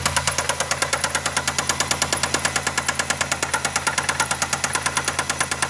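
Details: Quiet idle with sharp, hard metallic knock about three per second, felt banging through the dog bones; deep bottom-end knock, owner suspects a bad rod bearing, unconfirmed.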